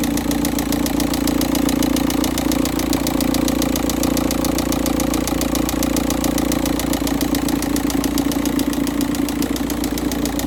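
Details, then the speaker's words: Volkswagen Touran 1.9 TDI on first morning cold start, engine temperature 13.2, cold thick oil; hard regular knock about three times a second over the diesel clatter, a loud banging knock from the engine. "Okay, the oil is still cold and thicker, or it has a high viscosity. So as you may be able to hear the banging or knocking noise coming from the engine."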